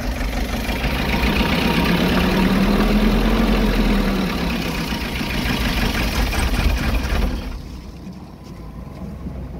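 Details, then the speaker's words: KC2700 engine with overheating, running: an uneven, stumbling idle that misses a beat about three or four times a second with no knocking underneath; a misfire at idle. Coolant bubbling is seen and a cylinder head or head gasket leak is suspected. "Pero mapansin nyo mga guys yung under niya lang, palyado lang siya, pero hindi maingay yung makina. Wala yung ingay na tok tok tok tok."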